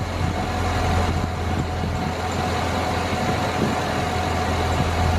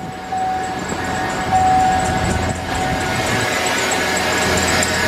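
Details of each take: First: 2007 Chevy Suburban idling, listening at the first belt pulley with ear close, before replacing tensioner pulley: steady low rumble, no chirp, squeal or bearing growl; this pulley is fine, unlike the dry idler/tensioner bearing. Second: 2007 Chevy Suburban engine at idle: thin, steady squeal over the engine hum, still present with the A/C belt removed, from the serpentine belt tensioner pulley; tensioner pulley and belt replaced.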